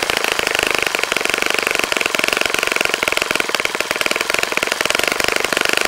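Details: Saito FA-65 model four-stroke glow engine, first run after rebuild, APC 12x6 prop, Morgan's Omega 10% fuel, Fox Miracle plug: crisp very fast even exhaust crackle at high revs, strong steady note, no misses; normal running.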